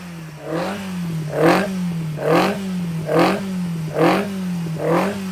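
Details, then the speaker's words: 1200cc five-bearing Hillman Imp engine with Coventry Climax FWH head on the dyno, no oil leaks: clean revs rise and fall about once a second over a steady hum, no knocks or rattles; normal running. "so no oil leaks which is a good thing we'll just fire him up seems to be functioning well"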